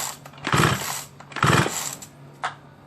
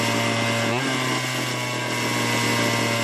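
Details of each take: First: Small chainsaw, long unused, plug cap missing: two short pull-cord rasps about a second apart and a faint tick, never fires; no start from carburettor intake air leak. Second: Small two-stroke chainsaw, long idle and non-starting, revived after fixing the carburetor bracket holder: steady high buzzing note holding even speed without stumbling or cutting out; runs properly.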